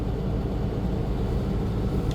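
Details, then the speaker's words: Freightliner M2 bus idling: a deep, steady roar with a constant fan rush on top that never cycles off, because the engine fan is always engaged; the problem has persisted since the old fan clutch failed and a new one was fitted. "currently this bus has an issue where the fan the engine fan is always on you might be able to hear it and that gets very annoying and here's why"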